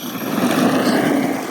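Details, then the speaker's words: Used ARRMA Big Rock 6S RC truck on 3S batteries, after front-end teardown and reassembly: even electric motor whine rising and falling smoothly with throttle, no clicking or grinding; earlier noise gone, problem solved. "so it looks like that was the problem. This thing's running good."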